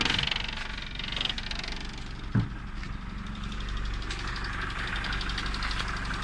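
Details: Engine just started after the faulty distributor wire causing a no-start was fixed: steady, even idle with a smooth low hum and one brief bump, no misfire or knock; normal idle.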